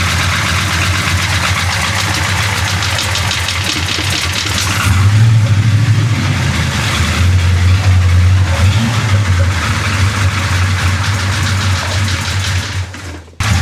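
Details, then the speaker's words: BBC 427 V8 idling after a valve adjustment: a loud, lumpy idle with light, fast ticking chatter that comes and goes, better than before, side unclear: intermittent valvetrain chatter. "it's a lot better than it was yeah a lot better you hear that chatter coming back it comes and goes"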